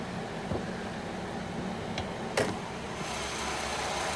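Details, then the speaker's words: 2017 Nissan Altima 2.5 SV, naturally aspirated inline four-cylinder petrol with variable valve timing and CVT, idling with the hood open: soft, even low hum, no ticking or exhaust puffing, no exhaust or fluid leaks; normal quiet idle. "can see that is what we have here inline four-cylinder engine and you can hear how quiet it is very quiet no exhaust leaks no fluid leaks"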